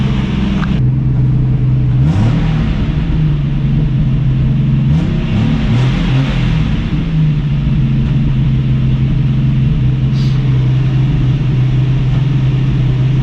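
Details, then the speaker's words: 1965 Mustang inline six at idle: deep idle with uneven stumbling beat, random misses though all plugs fire; timing unchecked, points never changed, suspected cause. "It's running a lot better than it was. Much better than it was. But I definitely have a miss."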